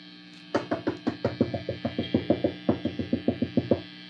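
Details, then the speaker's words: Fender Twin Reverb '68 Custom Reissue after swapping a microphonic preamp tube: steady low background hum under quick dull taps on the tubes, each tap dying at once with no ringing; microphonics gone. "And although this amp is very noisy, you hear that background hum, we are no longer getting any kind of microphonics."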